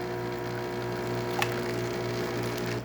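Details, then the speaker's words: DeLonghi coffee machine test shot after service with new generator, replaced brew unit and deep clean: steady low motor drone with an even gear whir and a small click as the brew unit expands and compresses the grounds. Running correctly. "As you can hear and see, things are running correctly, following to the tunnel over here, going into the brew unit, where the brew unit basically expands, and it will just fill up this little pocket."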